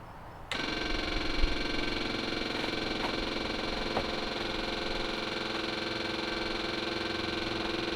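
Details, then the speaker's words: Home-built Searey seaplane, one-way fuel valve from the kit reinstalled, electric fuel pump switched on: abrupt start to a steady even electric buzz holding constant; fuel flowing, pump running normally. "here's electric fuel pump now it's probably got fuel in it but it stopped sounds like there's fuel coming we have fuel"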